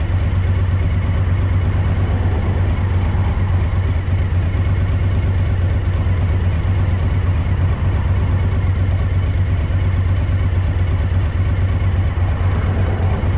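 Lumpy, loping idle with a deep uneven thump about once a second over the engine's beat; one cylinder is misfiring.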